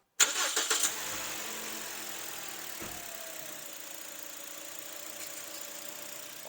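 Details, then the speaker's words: 2020–2022 Toyota Voxy 3R 2.0 engine, after replacing the alternator and the single auxiliary belt: engine catches cleanly and settles into a smooth, steady idle with no squeal or chatter; noise gone, normal start and idle. "Correia também auxiliar é única né uma coisa só que toca tudo também instalada e agora vou mostrar para vocês ela sem aquele barulho"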